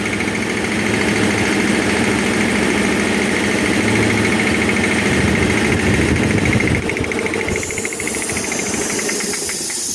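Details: Air compressor that had a tak-tak tapping noise: pumps evenly with a steady beat and no sharp tapping, then eases off near the end; sounds healthy.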